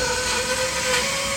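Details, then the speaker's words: Bandsaw cutting at normal feed pressure: steady high-pitched blade whir with hiss through the cut, easing off as it finishes; normal cutting sound, noise may vary with material density or knots. "Okay, you're going to cut a little bit, and you'll be able to hear this is all normal sound."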